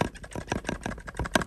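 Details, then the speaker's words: Nikon Z 58mm f/0.95 Noct lens shaken: clunking and clicking rattle because the front optics are spring-loaded onto a cam rather than a helicoid, so they shift and rattle; a normal trait of this lens. "you hear that clunking what that is is the front optics are actually spring-loaded onto a cam it's not a helicoid"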